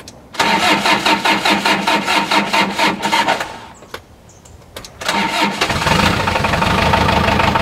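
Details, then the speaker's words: Diesel tractor that wouldn't start from clogged fuel line, after blowing air back through line, refilling fuel bowl and bleeding injector pump: rhythmic cranking, pause, then catches into steady even idle; normal start and idle. "all right she's running out well we got at least we got fuel fitted to the fuel bowl"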